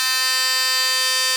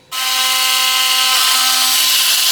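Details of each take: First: Philips Sonicare toothbrush after repairing a loose tip/neck (screw fixed, non-original top part fitted): steady, even, high-pitched buzz running normally, then cutting off; now working as it should. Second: Philips Sonicare toothbrush with a loose tip/neck; harsh, hissy high buzz over a steady tone, with the neck rattling and not really brushing. The cause is a loosened or cracked internal screw/shaft.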